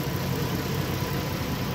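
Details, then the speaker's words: 2012 Mazda 6s 3.7 Duratec V6 after water pump and timing chain job, flex pipe fitted without its gasket: steady idle with a loud, rough low rumble and puffing edge; exhaust leak at the unsealed flex pipe joint. "i put the pipe on just to run it but you know it's a little loud so i gotta try to find that gasket with the flex pipe"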